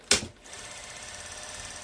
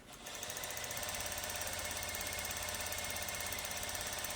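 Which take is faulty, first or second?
first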